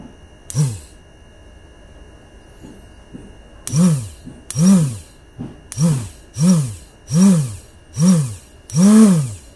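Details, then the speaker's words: Motorcycle electric starter motor bench-tested on 12 V battery after replacing carbon brushes (previously would not turn); eight strong whirring bursts spinning up and down cleanly; starter now turns freely, normal. "Ito ka dito yan gagana siya malakas kanina hindi ito umiikot pero ngayon malakas na na yan"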